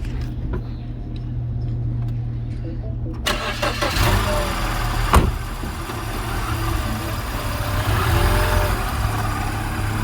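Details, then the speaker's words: Recovered stolen Mini started with a jump box: cranks and catches, then runs with a lumpy, uneven idle and wavering revs. Battery light on; alternator suspected to be bad. "you hear the way it's running yep what is that really i am afraid so the question is why we have a battery light and most likely alternator is no bueno"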